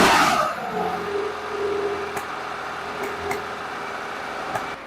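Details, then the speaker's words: Freshly rebuilt Zenith 40TIN carbs on a high-compression 2.0L T flat-six test engine with E cams, set to 5.5 kg/h air: steady idle with occasional sharp coughs back through the carbs; lean because jetted for less fuel than this engine wants. "there's a little bit of coughing part of that is this motor wants a lot more fuel than these carburetors are jetted to supply"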